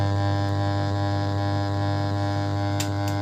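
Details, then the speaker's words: Home theater 5.1 subwoofer at power-on: loud constant low mains hum with steady buzzy overtone, fading somewhat over time but not stopping; caused by a weak/failed capacitor in the subwoofer amplifier, addressed by adding a capacitor. "நீங்க இந்த capacity add பண்ணீங்கன்னா அது வந்து sound வந்து humming sound stop பண்ணிரலாம்"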